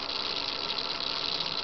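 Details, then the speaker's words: Analog servo driven by a Turnigy 760LV-HV servo tester in auto mode, running hot: harsh, high-pitched gritty buzz, constant while running; owner suspects a stripped gear. "just sounds awful I think one of the gear strip"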